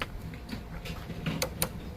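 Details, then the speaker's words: Discarded 3-speed Honda walk-behind mower, engine off: the control cable has no tension and the lever gives a few sharp, irregular clicks and clicks free. It locks but won't actuate or return to closed, so something is stripped inside. "oh, it extends, but you can hear it click and it clicks right out. So something's stripped inside. So you can lock it, but you can't actuate it."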